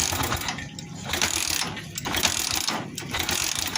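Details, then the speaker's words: Office motorcycle "Joker" leaking at the clutch/gear area: repeated mechanical ratcheting about once a second but the engine never fires; cranks but won't start, stopped running before teardown. "Pokoknya ini udah nggak ngetop, udah nggak ngetop, dan jadi nggak bisa nyala ya."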